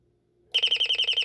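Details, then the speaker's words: Royal smoke, gas and fire alarm, estimated late 1970s–1980s, speaker-driven, in test mode: sharp high-pitched beeps about eight times a second after a quiet start, not as loud as expected but loud enough to talk over; normal. "there and it's not as loud as I thought it would be um it's loud enough that I have to talk over but there you go"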